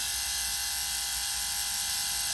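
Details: Bus factory rear air conditioner fan motor, running free on the bench after dismantling for noise, brushes reseating on the commutator: steady high-pitched electric whir, even hum, no rattle or scrape; normal motor run.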